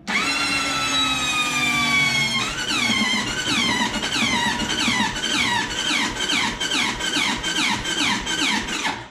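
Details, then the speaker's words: Belt-driven engine needing more work: starter cranks unevenly in quick rough, labouring pulses, engine not meant to start and never catches; cranking sounds a little rough. "sounds a little on the rough side"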